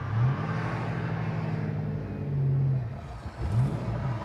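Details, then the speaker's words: Mustang GT, abandoned car on road drive at about 30–35 mph: engine note sags and falls away whenever load comes on, can't take load above 1500 rpm; bogs and stalls, cause unconfirmed. "i just really can't give it any load at all it's really right above 1500 rpm i i can't give it load above 1500"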